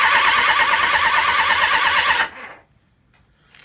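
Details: Honda VFR750 with carb trouble, owner suspects it runs on three of four cylinders; starter whirs with a wavering tone for about two seconds and stops without catching: long cranking, hard start. Carb cause suspected, not confirmed.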